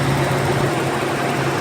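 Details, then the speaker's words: Petrol engine in a Z car idling smoothly and steadily after repair, with no rattle or hiss; the hissing vacuum leak was fixed by fitting a missing ring. "rattling no noises I got rid of all of this the problem was this thing over here it's supposed to have a ring in it and it didn't have one so I put a whole ring in it and that got rid of all of that hissing over here"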